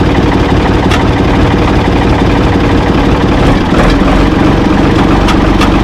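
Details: Ford 445 diesel tractor, thought to be a 1970s model and bought at online auction, idling steadily with heavy, even clatter and light clicks while being test-driven; it moved forward and reverse, then quit, and the owner suspects worn linkage. Engine starts and runs good.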